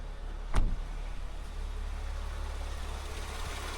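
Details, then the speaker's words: Mercedes W203 C240, M112 V6, after resoldering the failing Temic ECL-G4 400 W extra-fan controller: a thump, then smooth steady low idle with even fan rush, no misses or knocks; cooling fan back to normal after repair. "kembali normal P kembali normal setelah proses reparasi"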